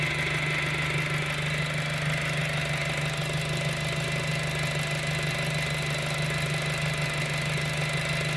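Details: 2007 VW GTI at idle: steady moaning whine of constant pitch, no knock, persisting after timing belt replacement; source unconfirmed.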